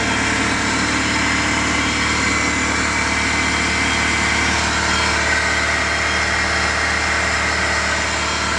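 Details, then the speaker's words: Rebuilt Honda VTEC engine at its first start; a steady idle with a faint, constant high whirring from a worn clutch release bearing, to be replaced by removing the engine again. "because it's the clutch bearing we're going to change that it needs to take out the whole engine again change that part but it's starting up good it sounds now good"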